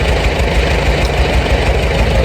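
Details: Farmall A tractor revived after 10+ years sitting, new radiator, fan, belts and hoses; new head gasket planned; slow, even chuffing idle with steady low beat, no misses or knocks; normal idle.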